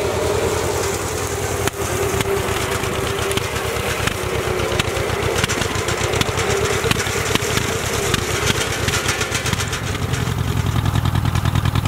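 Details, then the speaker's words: Ford Jubilee tractor under PTO mowing load after a carburetor swap: steady, slightly uneven beat, pulling without stalling. Much improved over the earlier stalling under load, but the carb still wants fine tuning. "i think the tractor's a win um i just have to adjust that carburetor but it's cutting a lot better than it was and that's good"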